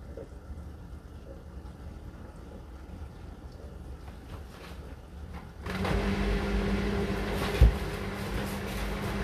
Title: Appliances In Full Swing Hotpoint NSWR843C Washing Machine Final fast 1200rpm rattling really loud!